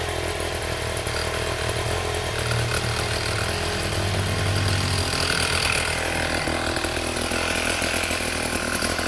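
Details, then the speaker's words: 1960s Fuji-Motor Go-Devil folding minibike, first run after clutch assembly: small engine holds a smooth, steady, buzzy idle with no surging or rattles; wheel stays still at idle and the clutch engages with throttle. "we've got the bike just idling, and as you can see, when it's basically idling, the wheel is not moving"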